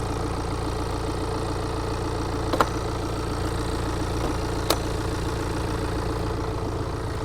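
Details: 2017 BMW X1 at idle before a major service with timing chain replacement: steady idle with an occasional sharp, irregular tick a couple of seconds apart from the fan belt side; cause still unclear, chain shown visibly slack.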